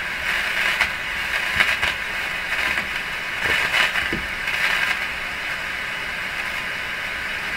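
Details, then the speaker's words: Strauss AM/FM tabletop radio, FM band being tuned: only an even hiss that swells and crackles, never locking onto a station; owner suspects the FM local oscillator is not operating. "no evidence the radio is receiving anything as I tune this, right?"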